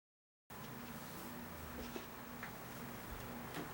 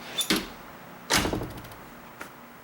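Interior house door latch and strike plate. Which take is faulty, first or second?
first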